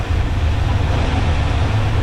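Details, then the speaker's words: Small-block 350 V8 in a C10 with a four-barrel carburettor, idle mixture screw turned all the way in (less fuel): deep idle with an uneven, stumbling beat. Running rough and lean; backing the screw out two turns smooths it. "go all the way in starting to run rough that's all the way in there"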